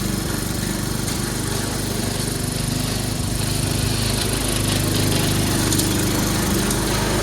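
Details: Troy-Bilt 22-inch mower, 4HP Briggs Quantum, makeshift throttle linkage, run on choke for one steady speed: steady single-cylinder drone while cutting grass, no misses or surging; normal running under load.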